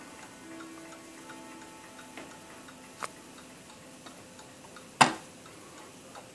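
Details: 1948 Seth Thomas Westminster chime tambour mantel clock: quiet light ticks at an even pace over faint background chiming; steady, healthy movement. Normal clock ticking.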